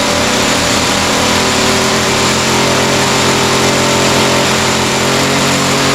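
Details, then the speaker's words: Echo SRM-210 two-stroke trimmer after replacement carburetor kit with new primer bulb, fuel lines, air filter and carb adjustment; starts easily, buzzes steadily at high speed, smooth with no misses or surging; normal running. "oh all right so that sounds pretty good uh started fairly easily needed just a little bit of carburetor adjustment um but starts easy now runs good"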